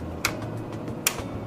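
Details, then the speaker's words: ZXP Series 8 printer, loading the laminate cassette onto the spindle: two crisp, sharp clicks about a second apart over a quiet hum as the cassette latch engages; normal latch engagement click, cassette installed. "I will then need to secure the laminate cassette to a latch, and I will hear an audible click and I will see this latch engage."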